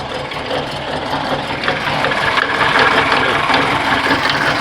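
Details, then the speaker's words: Engine idling with an irregular light rattle and tapping, two to three per second, newly appeared; owner suspects something loose inside the engine; cause not confirmed. "Não sei o que aconteceu, mas Corujinha Matriz fazendo um barulho estranho no motor."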